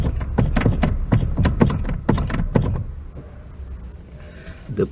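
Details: 1997 Fiat Uno Mille steering: sharp irregular clunks, about two a second, with each turn of the wheel, felt like front suspension; cause is a loose steering column universal-joint bolt knocking.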